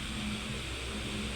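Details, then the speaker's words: Electric fan after shaft bushing replacement, spins freely by hand, running on speed 1: steady even hum, no rattle, scrape or wobble; motor spins smoothly, normal running. "So, pakinggan natin kung may lagitik. So, wala, no? So, okay na yung ating electric fan."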